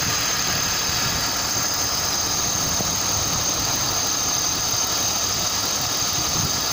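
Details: BMW M52TU engine at even idle: a dull, regular knock at engine speed over a strong hiss; the cause of the knock is unknown.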